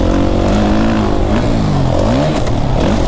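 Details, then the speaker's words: 2019 Suzuki RM-Z450 kickstart motocross bike on first test ride: loud single revving hard through the gears with a loud chain slapping clatter underneath; rider notes chain slap, cause not confirmed. "Chain is like really loud. I just hear this chain slapping around. Like, do you hear that chain slap?"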